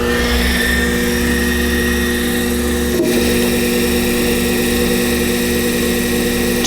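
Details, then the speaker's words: Sherline-based D&M4 CNC mill after DC spindle drive replaced with KB Electronics KBIC-120 and SI-5, commanded M3 S2000 via Centroid Acorn, measured 2,006 rpm: smooth even motor whine at one pitch; normal spindle running. "I can hit the green button here. That should turn it on and run it at 2,000 RPM."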